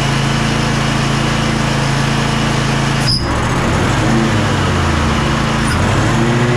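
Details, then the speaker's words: Bad Boy zero-turn mower, Kohler 7000 KT745 engine after about 20 minutes running: note sags and wavers without recovering as it loses all power; bogging, fuel ruled out as clear and flowing. "after I don't know maybe 20 minutes of running or so as you can tell it sounds like it lost all power"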